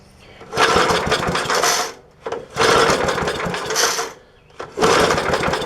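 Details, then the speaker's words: 1966 Briggs & Stratton lawnmower engine, first start in many years with fuel poured down the carburetor throat: three short ragged bursts after pulls, each dying within about a second; fires on primed fuel but won't keep running. "happens so falling off my blocks hmm that sounds promising track a little more fuel oh"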